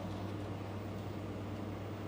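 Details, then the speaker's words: 5 kW diesel air heater with radiator added on the exhaust to reclaim heat: even, steady low roar with very faint fuel pump ticking; quiet pump, normal operation. "can you hear the ticking very very quiet these later quite a pumps they are brilliant"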